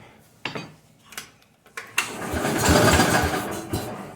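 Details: Cub Cadet with a rebuilt Kohler K-series single-cylinder engine, first start choked with the fuel just opened: a few cranking thumps, then it catches at about two seconds and settles into a rough but steady run.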